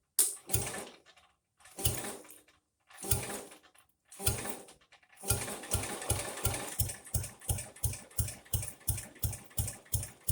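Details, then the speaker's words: Jacobsen Chief 800 lawn tractor, first start after sitting in weeds: engine heaves over in slow separate pulls, then picks up to a quicker steady chuffing; suspected lack of lubrication; slow cranking. "that's amazing it does turn over i should have put a little shot of oil down the spark plug you could hear how it kind of started slow and picked up i'm afraid that was lack of lubrication that just took it a minute to circulate"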